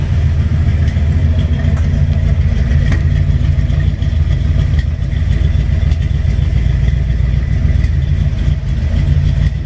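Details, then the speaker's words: 1958 GMC 4x4 V8, first start, told to idle without throttle: loping, stumbling fast idle with uneven beat never settling; rough running, owner suspects gunk in carburetor and plans to pull and clean it; fuel seen in filter. "Well, looks like I'll have to pull the carburetor off, clean it out. Probably got a bunch of gunk in there."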